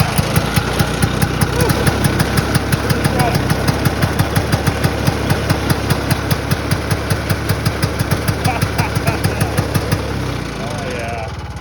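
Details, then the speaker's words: Vintage circa-1970 Ski-Doo Elan 250 single-cylinder two-stroke snowmobile, cold start at minus 35: crisp, even popping idle at about three beats a second, steady and clean; starts and idles normally. "you can't beat that single cylinder 250 little sled of the north"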